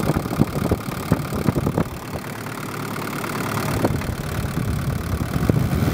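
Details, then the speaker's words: Daihatsu DL turbo diesel during injector pump fuel tuning: loose knocking idle patter, revs hang and drop slowly after throttle release from overfueling, so the pump fueling is wound back a touch. "I can hear there the engine started to hang a little bit and take a little while to drop revs back so I'll just wind it back a touch"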